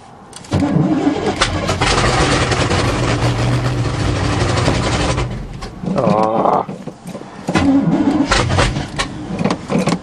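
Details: 1977 GMC truck, 400 engine, carbureted, cold weather, choke pull-off rod adjusted as the suspected fix, bowls primed, third battery: long cranking catches into a rough roar for a few seconds then dies back to stumbling cranking; won't keep running.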